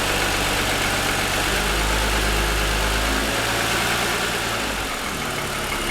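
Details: 2007 Lexus ES350, parked, hood raised, cold idle for ~10 minutes after start: fast steady hollow ticking rattle tied to engine speed; owner says piston slap, louder over 2.5 years of ownership.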